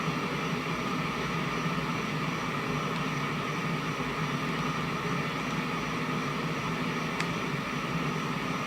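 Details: 1971 JCPenney 1758 solid-state stereo, right channel: steady, even rushing hiss with no rhythm, unchanged throughout; noise traced to transistor TR20 collector area (C142/R110), emitter and base quiet; culprit not yet confirmed.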